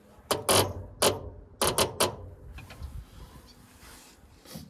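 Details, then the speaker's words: 1942 Ford 200ci after 20+ years idle, no key, battery at 12.12 V, starter jumped across the start solenoid: short separate clunks and clicks, no steady cranking; owner suspects a bad solenoid. "That's not sounding good. bad solenoid here."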